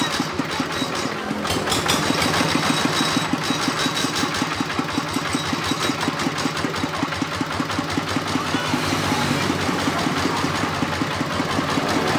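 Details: RD 85 Series S single-cylinder diesel tractor engine that had lost power, started after repair with damaged parts replaced; steady thumping idle around two and a half beats a second, slightly rough but even.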